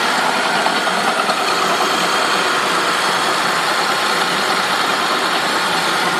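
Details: 2003 Saab 9-5 at idle: a steady, harsh metallic rasp with no clear beat from the engine, grinding source not yet pinned down.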